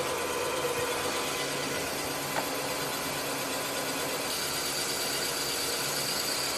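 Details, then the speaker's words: Rottler automotive boring bar boring an engine cylinder (bore verified at 4.025 in) completely through the bottom, before setting the bottom stop: a steady, even high-pitched cutting hiss with no chatter or pulsing, normal smooth cutting. "We're going to bore completely through the bottom of the cylinder, and then we're going to set the bottom stop over here on the left side of the column."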